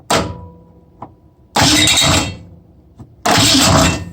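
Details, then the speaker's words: 1965 Mustang with a new chrome GM one-wire alternator on a drilled-out Ford mount, cranked on a weak battery: two short, harsh metallic clattering bursts per crank as the oversized alternator fan blades strike the mount, which needs grinding. "well i'll just have to find out which one of those blades is doing it and i've got it all in there man i really hate to try to grind it now but if it's gonna hit it's gonna hit i can't have that"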